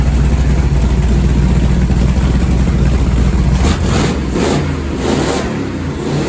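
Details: Newly rebuilt Ford 427 Medium Riser FE V8 for a 1967 Ford Galaxie 500 clone, first start-up: strong, even idle swelling cleanly in quick revs with no knocks, ticks or misses; normal revving.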